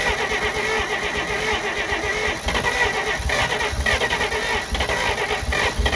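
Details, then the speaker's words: 1948 Pontiac Silver Streak straight-six, sat since early 90s, first start: catches and runs ragged, revs surging unevenly with faint light knock underneath, struggles to run on its own; owner notes slight knocking, cause unconfirmed. "I mean you guys heard the footage it was knocking a little bit"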